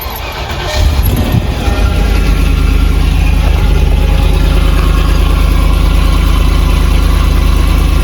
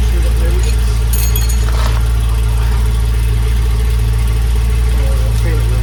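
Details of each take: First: Land Rover Discovery 2 V8 on a cold start with the rear silencer (back box) missing after the exhaust fell off. A deep, booming, uneven idle with a loud low rumble, as with a back box delete. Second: Land Rover Discovery 2 V8 petrol, just started, possibly on choke, after replacing the exhaust mid and rear sections: low, steady burble with even firing and no knocks, ticks or exhaust puffing; a smooth, healthy idle, with condensation judged normal, not head gasket.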